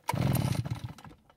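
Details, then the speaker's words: Nearly new Redmax EBZ8500 backpack blower, only a few hours on the engine, quit after 30 minutes' use: single rough pull-over rumble fading with no firing; cranks without starting, ignition failure suspected before spark check. "so it didn't even try and start now i have to wonder if the ignition system has somehow failed which would be pretty amazing with only a few hours on this engine"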